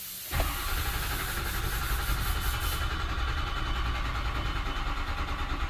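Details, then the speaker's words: 2005 Ford F-350 6.0 Powerstroke crank-no-start with a failing IPR valve, battery charger connected: the starter churns steadily with a heavy low drone and never fires, long cranking to purge air from the drained high-pressure oil system, setting an ICP code. "so we're gonna crank this thing i got a battery charger on it so let's crank it now you're also gonna set a code during this you're gonna set a low code in icp code so you'll have to clear it once you get it running"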